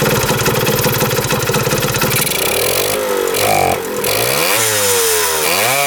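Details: 1977 Kawasaki KE100 two-stroke enduro, first start in about 10 years, won't run without choke: crackles, pitch rising and falling as throttle is blipped, never settling to idle; air screw turned in, gas cap vent suspected.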